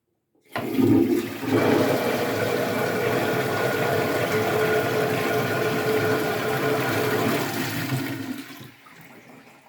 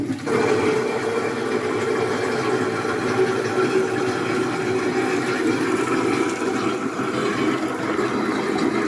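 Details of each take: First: Toilet flush after repairing its fill-valve muffler: strong rush of water easing into a soft, even refill with no shrill hiss, a big improvement over the noise without the muffler. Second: Toilet fill valve with failed muffler, before repair: loud steady rush and hiss of water refilling the tank with no softening; after the fix it was much quieter.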